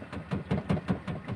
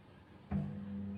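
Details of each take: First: Single-tub washing machine not spinning: in spin, even rhythmic swishing pulses about four a second with no rising whine; only the pulsator turns while the tub wall stays still, likely gearbox spring or loose gearbox release-lever bolt not opening fully. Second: Single-tub washing machine after a fix for no-spin fault: halfway through the motor kicks in with a thump, settling into a smooth steady hum as the tub wall spins with the pulsator, sounding very different from before; normal spin.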